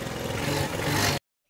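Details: Hero Maestro Edge BS4 scooter after a jerking-problem fix that refitted the petrol, air and pollution pipes and the carburetor extra wire. It fires up with a smooth, even buzz for about a second, then cuts off: clean start, normal running.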